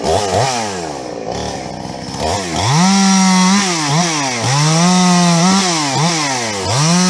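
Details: Husqvarna 350 chainsaw "Fugly" with Huztl top end, back after months on the road and field repairs (gas leak fixed); revs climb and drop repeatedly to a clean high scream, no bogging or stumbling: healthy normal running.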